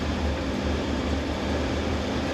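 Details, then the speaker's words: 1976 Dodge Shasta RV idling stuck high with a steady, fast, even hum after starting; pushing the gas pedal releases it and it drops to normal idle. "and if I push on the gas yeah you see she kind of gets stuck high and if you push the gas down it sort of releases and she idles lower where she should be"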